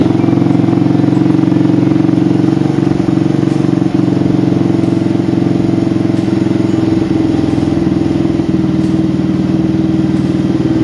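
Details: Old motorcycle engine after replacing the crank, its bearing and the piston, cranked a few times first to circulate oil: steady even idle with a smooth low drone, no rattle or knock. Earlier noise gone; normal running.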